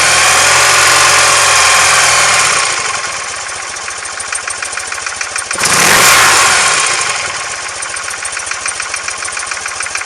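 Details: BMW R100S boxer twin, about 500 km after engine rebuild, cold idle: a sharp, even knock at about three per second on the left side over the exhaust, gone when warm; heads retorqued and rockers adjusted, cause not found.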